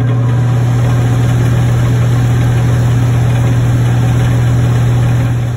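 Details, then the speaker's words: Attic fan motor running briefly; the earlier clanking isn't heard, but a loud constant low hum remains. Frame and blades look fine, so the motor is the most likely cause and is to be replaced. "但是风扇确实是有杂音。主要因为风扇这东西它也不是特别有技术含量，我们看了基本的架构没有太大问题，风扇的这个叶子也没有问题，所以最大可能性也就是这个发动机了。"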